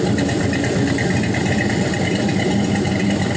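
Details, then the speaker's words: 6.0L LY6 Gen 4 LS shortblock with 5.3L 706 heads, a 220/224 cam and many new parts, run on a cold start: steady, even V8 idle with no misses, knocks or smoke; a healthy engine. "but you see no smoke even on cold start i think it runs awesome got a bunch of new parts in it"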